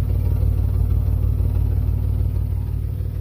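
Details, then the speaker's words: 1994 GMC Jimmy 4x4, 4.3 V6 CPI, 191,000 miles, after sitting six years, now on fresh gas: fires right up into a smooth, even low idle rumble with steady pulse, no stumbles; running on all six. "Just gonna have to wing it. Fires right up. Running on all 6 now."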